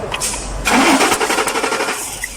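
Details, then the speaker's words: 2006 Ford Expedition, crank but no start with ignition spark confirmed: rapid even starter churning that never catches; cause is the fuel system, fuel pump not working. "so the problem of this car is the fu fu system so let's check the fu pump is not working"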